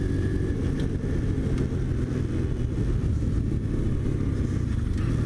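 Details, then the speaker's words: New Chinese X-PRO 125cc sportbike, brand-new engine on first ride being broken in: steady even low drone with no knocks or misses; engine and transmission run well, though it vibrates and needs tuning. "pretty smooth pretty smooth not bad mechanically it runs great transmission engine runs really well"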